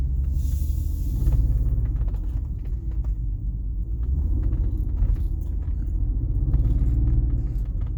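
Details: BMW 330ci petrol engine with a deep rough idle rumble that wavers and surges unevenly every second or two instead of a smooth beat; cause unknown.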